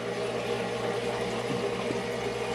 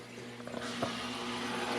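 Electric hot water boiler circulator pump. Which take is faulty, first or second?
second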